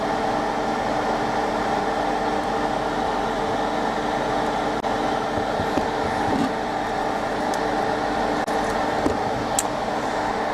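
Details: Soldering station on the bench during a Hacker Sovereign RP18 radio repair: constant loud whirring hum with a steady mid-pitched drone from its cooling fan, awaiting replacement with a new fan. Noisy cooling fan.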